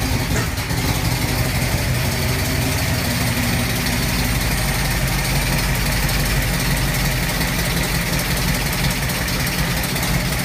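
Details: 1989 Ford Mustang LX 5.0 stroked to 306, GT40X heads, GT40 intake, Z303 cam, long tubes, Flowmaster 40s, with MAF: loud lumpy idle with uneven stumbling beat; misfire caused by badly wired MAF.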